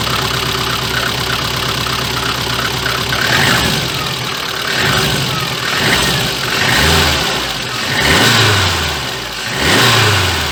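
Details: VAZ 2114 after the repair: repeated throttle blips rise and fall cleanly. The clatter that had occurred on releasing the throttle is gone. Only a low-frequency note from a leaking muffler remains.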